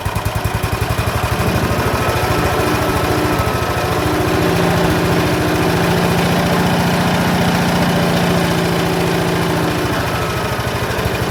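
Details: Ransomes MG5 crawler, about 1949, just restarted after its magneto was refitted: an old petrol engine chugging at a low, slightly uneven idle with a wandering beat. The idle needs adjusting; the cause is not yet pinned down.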